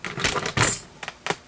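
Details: Bridgeport mill quill power feed running: sharp, irregular metallic clicks in quick bursts from the feed clutch slipping under weak spring pressure, before a cheap clutch repair.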